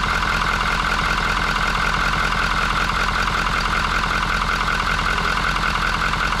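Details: 2019 Ford F350 6.7 Powerstroke diesel with 88k miles, after replacing the clogged CCV filter: a steady, even diesel idle with no hunting and no pressure left at the oil filler, now normal.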